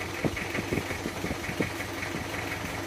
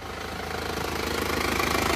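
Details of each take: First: Panther 23 diesel from Malang, before engine removal: idle with an uneven puffing chuff and irregular knocks over the clatter, smoke under the engine. Heavy blow-by; mechanic suspects a scored cylinder liner. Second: Panther diesel after repair that replaced fan belt, front and rear crank seals, radiator hoses, engine mounts and valve seals: blow-by cured, where before it smoked even when cold. Even, steady idle clatter, no miss or knock. Normal idle.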